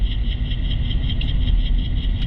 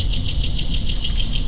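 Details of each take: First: 2016 Nissan Rogue at about 30 mph, microphone on channel 2 among four wheel-corner channels: deep, constant rumbling growl, worn wheel bearing; other channels only slight brake noise. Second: 2016 Nissan Rogue at about 30 mph, wheel-bearing test with a multi-channel sensor: even road rumble with only light brake hiss, no growl or hum; this bearing sounds normal, noise traced to another channel.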